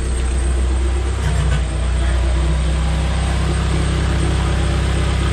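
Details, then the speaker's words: JDM K24A engine swapped into a Porsche 996 911, first fire after a brief stall and a small puff of smoke; oil pressure about 60 psi; smooth, even idle with no ticks or knocks. "sounds fantastic no no no ticks or knocks or anything crazy it sounds smooth as can be"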